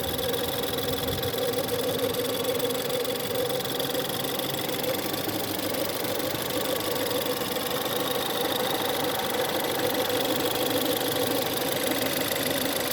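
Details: Ford 1.6 EcoBoost at cold-start idle: thin steady howling/whining over a quiet idle without pitch change; source not pinned down, cause unknown.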